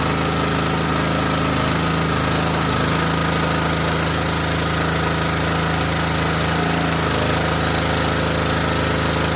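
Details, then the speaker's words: Forest King 30-ton log splitter engine at full throttle with choke set, after refilling dry hydraulic fluid that had caused chuggish running, bleeding air: steady even chug with pump drone, now sounds better; normal running. "Now it sounds better."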